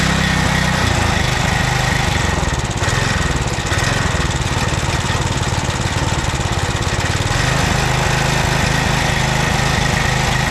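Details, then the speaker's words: 2007 McLane reel mower after carburettor clean, warmed up, choke off, run position at high idle; fast, steady buzzing idle with even firing beat, no misses or surging. Owner unsure of compression. Normal high idle. "It's in the run position, and we're at high idle, fast speed."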